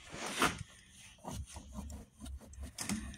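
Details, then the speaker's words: 2012 Toyota Highlander AWD rear wheel hub, removed and turned by hand: loud, gritty, uneven rasping scrape in bursts; worn wheel bearing, replaced with a new hub. "but this thing is loud. I don't know if you can hear that."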